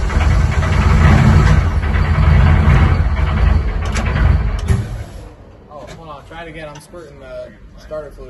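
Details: Rebuilt Deep Orange 9 engine running on sprayed starter fluid with the supercharger not refitted. Deep, rough run for about five seconds that fades and quits as the spray runs out; it won't keep going on its own fuel.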